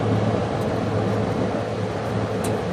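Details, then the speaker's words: Vintage GM Frigidaire 16,000 BTU 220 V room air conditioner, back panel off, switched to low cool: steady low hum and firm fan rush as compressor starts normally and quickly blows cold air. "so I'm going to throw it on to low pool here see if the compressor turns on"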